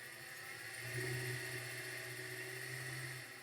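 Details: Used 2012 LTZ at auction with many stored codes and low coolant: quiet, steady idle hum with an even tone and no knocks or ticks; motor sounds acceptable.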